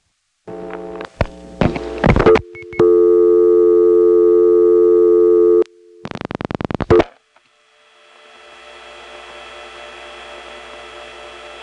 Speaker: You'll notice that not only is there 8-7 office noise here, but there's some new dial tone crosstalk which is coming from Smyrna.